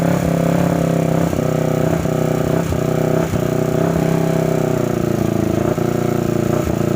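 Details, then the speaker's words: 2009 Kawasaki Ninja 250 twin running rough and uneven, with sharp ticks from the top end (rocker area). Later teardown found a defective crankshaft on the left side, which was replaced. "Hai Oke teman-teman jadi motornya tadi sempat hidupkan ternyata bunyinya lumayan kasar ngelitik di bagian recsel"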